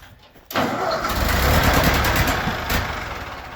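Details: 1942 Ford 9N tractor after points work, first start after sitting a week: engine catches at once and settles into a steady, even idle with no misfire, stumble or stalling; sounds healthy.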